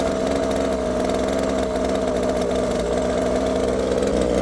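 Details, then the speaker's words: Husqvarna 36 two-stroke chainsaw warmed up after carburetor, fuel line and filter replacement, mixture screws at 2 and 2.5 turns: slightly uneven, wavering idle that sags as if it wants to stall; unstable idle. "So it does want to die, it sounds like, while it's just sitting there idling."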